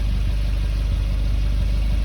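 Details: 2020 Suzuki Jimny JB74 automatic idling after a TORQIT performance exhaust fit: a deep, steady exhaust burble with an even pulse and no rattles or leaks; normal idle.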